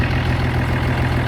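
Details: 1971 M35A2 turbo deuce-and-a-half diesel idling right after the fuel pump pickup tube replacement, with new air filters: low, steady, even beat, no misses or knocks. Runs pretty good.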